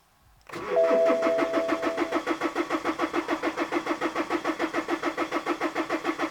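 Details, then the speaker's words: BMW X1 E84 with N47 diesel, xDrive, 140k miles, after fuel hard lines were removed: steady starter cranking about three and a half strokes a second for six seconds, never catching; owner suspects no fuel pressure, bleeding needed. "Well, the car's not starting, so I think it's probably when I removed all the hard lines, all of the fuel, there's no pressure anymore."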